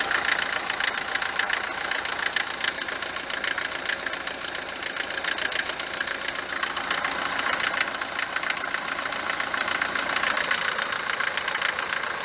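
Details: Mercedes 190 four-cylinder diesel at idle, knock worst when cold: harsh, rattly clatter about 3.5 per second, louder than normal diesel knock; mechanic suspects worn cylinders, injectors or pump timing, unconfirmed.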